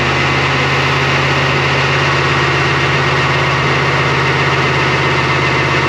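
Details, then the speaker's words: LS V8-swapped GQ Patrol with 6L80e, after changing all injectors: uneven, lumpy, shaking idle with missing pulses, down on power, dropped cylinders with injector open-circuit codes; fault traced to the PCM plug area. "The thing was way down on power, shaking heaps. It dropped a few cylinders and we had more error codes for injector open circuit."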